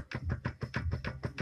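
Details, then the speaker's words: Ford Kuga with automatic gearbox: loose half-shaft rocked by hand gives quick hollow clunks about six a second where it enters the gearbox; play in the CV axle, fix undecided. "за полуось стучит полуось вот вот такая вот балда не знаю пока что с этим делать"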